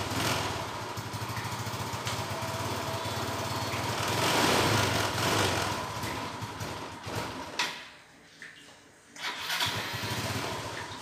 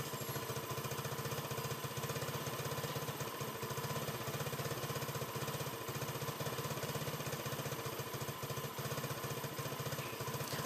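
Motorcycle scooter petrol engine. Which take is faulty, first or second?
first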